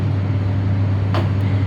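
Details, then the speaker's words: Diesel generator in weekly manual test, started from synchronizing panel: deep constant hum, steady pitch, no hunting or knocking; running normally, 414 V output shown. "Command गेली, आता डीजी start झालं आहे तिकडे."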